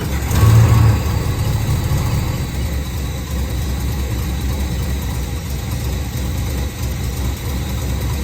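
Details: V8 HQ ute revived after 20 years, just after an oil change, exhaust refit and alternator wire fix: a deep, even V8 idle with a steady lumpy rumble and no ticking or knocking, burning off on the manifolds; normal idle.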